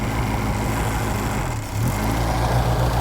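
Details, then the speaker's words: 1998 Reliant Robin Mk2 barn-find petrol engine idling steadily and evenly with a smooth low burble, no misses or knocks, after carburettor rebuild and throttle cable rerouted so throttle fully closes; no coolant in yet. "Let's try it again. That's better."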